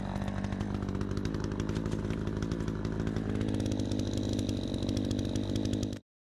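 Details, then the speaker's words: Troy-Bilt 20-inch two-stroke chainsaw after a carburetor adjustment: a crisp, steady buzz holding even revs without bogging or surging. It runs far better than before, though the owner thinks a little more RPM could still be tuned in. "Sounds good. This thing runs so much better. It's like a completely different saw. It runs so good."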